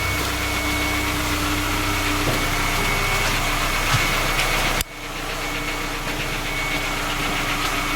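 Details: Skoda Octavia A5 FL 1.6 MPI at cold idle: steady hum with a light, uneven knock about four per second; three engine repairs have not found the cause, and the knock persists.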